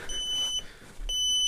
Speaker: this is my dad's [ __ ] alarm there we go now that we've found out what that beeping was